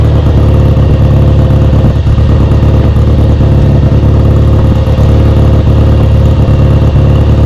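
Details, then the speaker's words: Kawasaki W1 twin, first start after restoration: steady low drone at a slightly raised uneven idle, only keeps running on choke; idle circuit is clear, owner suspects a vacuum leak or a too-small pilot jet. "okay it does not seem to want to come off choke I know that the idle circuit is clear cuz I can see right through it so either there's a vacuum leak or the pilot Jet's too small"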